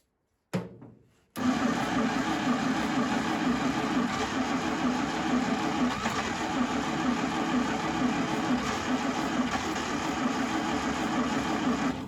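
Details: 1952 International Harvester L112 engine, sat for decades, cold, cranked with choke and starter fluid: long even cranking about two turns a second with one or two near-fires, no start; starter smoking, coil very hot, cause unconfirmed.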